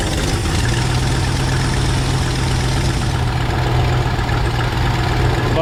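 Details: 1968 Ford F100 pickup V8, carburetor just adjusted and thermostat being installed after poor acceleration on road test, warming up after start; even steady rumble, no misses, knocks or surging; normal idle.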